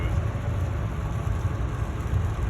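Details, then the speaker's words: 2015 Ford F350 driving after front wheel hub bearings, brake pads and rotors were replaced: only low, even road rumble, no growl, hum, wobble or steering-wheel vibration. Normal driving, no bearing noise. "tice how quiet it is? No more vibration in the wheel. No more noise."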